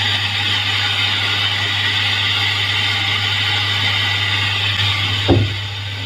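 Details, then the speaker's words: Samsung CRT TV, sound section: constant hissing static over a low steady hum instead of clean audio. The fault lies in the audio IF coil, which can be replaced, trimmed or resoldered. "Di bagian audio ini terdapat model IF seperti ini, ya. Terdapat IF pada bagian audio dan kerusakan pada suara statis sebelumnya terletak di IF tersebut."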